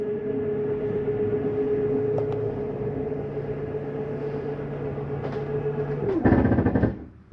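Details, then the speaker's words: 2024 Jayco Jay Flight 267BHS travel trailer slide-out retracting for travel: steady motor hum, then a short loud ratcheting clatter at full retraction, just the slide mechanism signalling it's all the way in, nothing grinding or broken. "hear that noise that's just a side mechanism saying I'm in all the way it's nothing grinding or broken"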